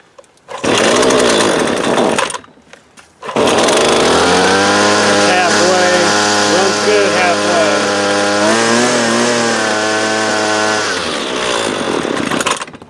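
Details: Husqvarna 128LD 28cc two-stroke straight-shaft trimmer, warmed up, string fully extended for load: it buzzes high and steady on choke, then sags and stalls once the choke is opened. The carburetor is out of adjustment and needs a basic carb adjustment.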